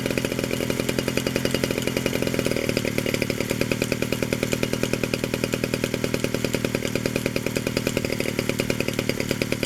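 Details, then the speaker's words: 1947 Danarm Junior Mk1 chainsaw, first extended run after full restoration (new bearings, coil, condenser, timing set), fed a drop of fuel with no tank fitted, fires rapid and even with chain buzz; it runs and the clutch operates. "There's only a drop of fuel in the pipe, so there's no fuel tank yet. There she is, she runs, and the clutch operates"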